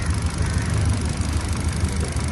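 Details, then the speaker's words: 2014 Kia Picanto at idle: uneven lumpy rumble with stumbling beat, clear misfire; codes for camshaft position and bank 1 sensor 1 oxygen sensor circuit. "طيب لو ملاحظين العربيه ما صافيه فيها رته واضحه"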